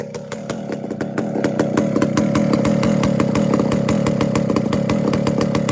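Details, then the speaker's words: Chainsaw after low-jet tuning: very slow, even popping around three beats a second that settles and holds steady; super low clean idle, low jet not fat or it would load up and stall. "that is a super low idle that's why I say when you tune your loads yet you can't have a bunch of idol at it that's a nice loaf right there"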